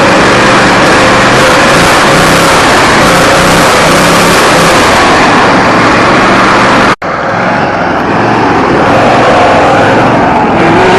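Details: Riding mower running after stuck carburetor float needle led to swapping in a parts carburetor, battery jumped as it was weak; steady single-cylinder drone with an even beat and one brief dropout; runs, drives and cuts normally.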